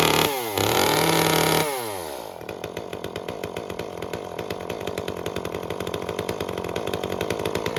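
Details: Echo CS-355 chainsaw after clogged screen cleaned and limiter cap removed to lean the mixture about half a turn from factory-rich setting: brief high rev, then crisp, even two-stroke idle; mixture cleans up and runs properly.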